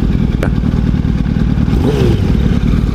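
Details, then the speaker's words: Motorcycle with a Power Commander fitted: choppy, uneven low thump at idle with an irregular beat that never settles and inconsistent rpm. The bike will not hold a steady idle and has to be kept at high rpm; cause unknown. "but his this bike is not running right properly it's uh it's inconsistent rpms"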